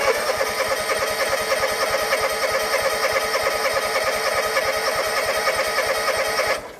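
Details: John Deere X324 4-wheel-steer mower, sat a long time, old fuel, choke on, weak battery boosted: steady cranking about three turns a second for six seconds, no firing; fires on carb cleaner, so fuel delivery issue.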